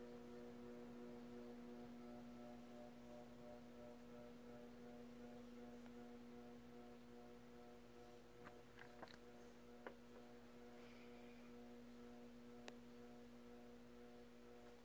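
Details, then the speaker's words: FASCO Worlds Fair 38" ceiling fan on high with an incompatible speed controller: quiet steady low hum with a buzzy edge; the buzz gets worse as the controller is turned down. "I'll put it on high you can hear it a little bit already but once I turn the controller down it'll really start to buzz"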